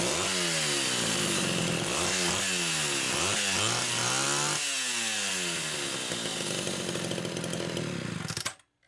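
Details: Rebuilt Homelite Super XL carburetor no. 3, test-run with the throttle worked by hand after the linkage slipped: crisp revs up and down on each blip, then settles and shuts off; healthy and responsive, idle speed adjusted.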